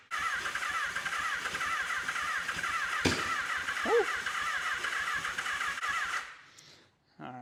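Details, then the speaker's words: 1983 Honda Nighthawk 650, sitting since 1987, first start attempt: starter spins steadily about six seconds without firing; cranks but won't start because the fuel supply was air-locked and not feeding the carbs. "The whole reason I had to crank it forever, hey, the whole reason I had to crank it forever was because this was getting air locked and not actually feeding fuel to the carbs."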